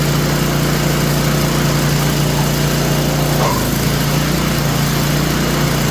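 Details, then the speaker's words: Craftsman snowblower, small single-cylinder engine started on choke, running at steady fast idle with an even drone; owner says it squeaks though runs okay after a new belt was just fitted; mechanic thinks it sounds like a bearing, source unclear. "All right, let's go do some investigation on that squealing noise."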